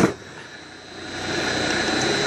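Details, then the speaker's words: 1.5 HP single-phase 220V motor converted to run three-phase on a 1.5 kW VFD, jogged from 50 to 60 Hz, long-term overheating untested; a brief clunk, then a smooth steady hum with a faint high whine; running normally. "but I'm running that's 50 Hertz I'm gonna jog it all so it's 50 a 60 Hertz"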